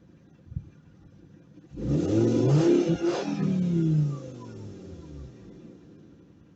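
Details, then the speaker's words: Fiat Stilo stock original exhaust with a large rear silencer: quiet idle, then a quick blip held two seconds and back down. Even, mellow, healthy factory exhaust; owner plans to replace the rear silencer with a tube. "Le bruit que tu as entendu, c'est le bruit d'origine. Je compte le changer. Je pense que je vais enlever le silencieux arrière qui est énorme."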